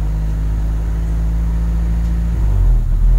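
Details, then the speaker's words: 1996 Honda City with its check engine light on, running at idle: a low rumble that swells and eases instead of holding even, an erratic breathing idle before any repair. Hunting idle. "So ang problema nito is check engine light. Pabago-bago yung menor."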